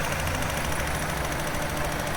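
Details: VW T4 2.5L after repair of a broken intake valve spring: steady, even idle with a low smooth hum and no misfire stumble or ticking; running smoothly again.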